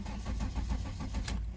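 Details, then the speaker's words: VW Golf 3 (Mk3) petrol that stalls while driving or won't start, with a new ignition coil, spark plugs and distributor rotor already fitted: even starter cranking at about seven pulses a second with no firing; the cause is a faulty Hall sender. "hat das waren als heute starten will aber startet nicht das kann natürlich sein dass er keinen schritt bekommt oder kein zündfunken bekommt"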